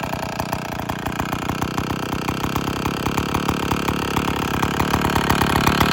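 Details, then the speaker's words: IEL Pioneer HM chainsaw, old two-stroke, after complete teardown (leaking base gasket, starter dogs fixed), running before bar and chain fitted: fast, crisp firing holds steady and builds slightly toward the end, no stumbling; now runs great. "But anyway, we got she's running. I'm gonna go put the bar on. We're gonna fire it up here one more time."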